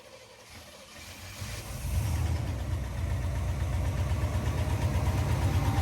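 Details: 1992 GMC Sierra 3500HD, first run after a new fuel pump, fresh gas and the alarm system disabled: cranks, catches after a second and settles into a steady even low idle rumble with no misses or knocks.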